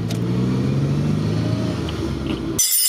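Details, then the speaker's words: Maserati Biturbo 4.24V V6 twin-turbo saloon, stored over 15 years in a barn, under way: steady low hum and droning rumble, not cured by a replaced differential; rear wheel bearings found completely worn once the hub carriers and hubs were removed. "seulement après avoir déposé les fusées et les moyeux que je me suis rendu compte que les roulements de roues arrière étaient complètement flingués"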